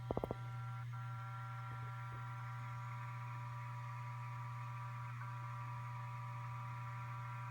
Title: ST8000DM002. Buzzing noise when idle